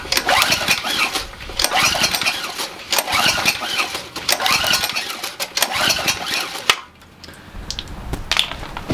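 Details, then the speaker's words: Enduro overhead-valve engine on a Generac 3000 watt generator bought as a mechanic's special, spark present, extra gas added: repeated pull-start bursts with a few sputters but no catch; cranks but won't start; owner suspects valve clearance too large. "all right sounds like it wants to go why won't you just start it did sound like it right I'm not crazy"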